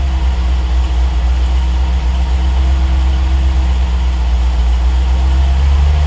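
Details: Triumph TR8 V8 on Megasquirt 3 Pro, cold idle during warm-up, lean around 70–100 degrees, after IAC move: deep idle with slight rise and fall; warm-up fuel raised (cell to 142), about 90% better than before. Lean surge at cold idle.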